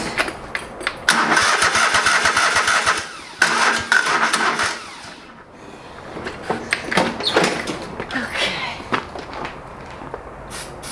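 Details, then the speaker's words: Old lawn mower that sat for years, brake cleaner sprayed into carb: coughs and catches in short ragged bursts, then dies back; little fuel coming through, fuel pump or blocked lines suspected; old gas described as terrible. "okay i'm getting some fuel but it isn't great"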